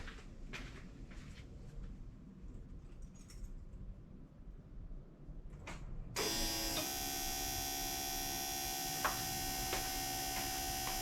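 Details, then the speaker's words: Air-cooled Porsche 911 with Bosch CIS K-Jetronic injection, stone cold, warm-up regulator disconnected, fuel pump relay jumpered, ignition on for pressure test: steady high electric whine holds constant; fuel pump running normally and pressure rises. "pump is running pressure went up"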